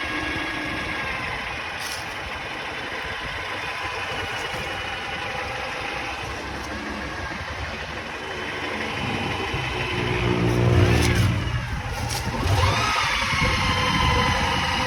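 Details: Honda Prelude petrol engine idling with a light, steady knock about four a second, then a brief rev; owner suspects piston slap or valves and thinks it is too quiet to be a rod.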